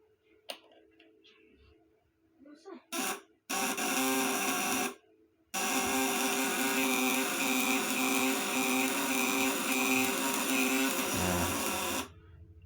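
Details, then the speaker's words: Homemade 1 kg 200 W C200 shock unit on bench test: a steady, harsh electric buzz at constant pitch for several seconds under load. The 200 W maximum is reached, and tightening the contacts further adds no power; the contacts are working normally. "tandanya Bali 200watt maksimal segini ya karena kalau kita Kencangkan lagi yaudah gak ada peningkatan daya"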